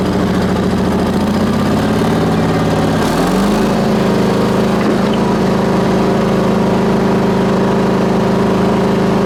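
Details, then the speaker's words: Onan BF-MS 16hp with DD11 carb, after the pulse fuel pump was rebuilt and the carb adjusted: eases down to a lower speed and holds a smooth, even drone without misses or surging. Ran fine half an hour, slightly low on oil. "So I ran this thing for about a half hour or better. And then someone stopped, so I had to quit. But it ran fine. Everything was perfect."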